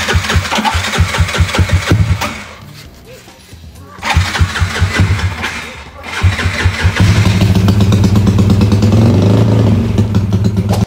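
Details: Yamaha scooter "Jagur" (NMAX mentioned) after its worn starter gear and one-way clutch were replaced; it previously would not start. Tested in the afternoon: the engine catches with steady, even low firing pulses, dips briefly, then settles into a smooth, healthy run.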